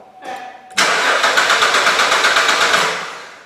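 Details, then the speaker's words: 2008 Suzuki XL7 3.6L V6, towed in with code P0335 (crankshaft position sensor circuit), camshaft sensor already replaced: even starter cranking for two seconds that never catches. Crank no start, likely no spark or injector pulse; the crank sensor signal is weak. "the vehicle is a crank no start I assume it does not have any spark or injector pulse"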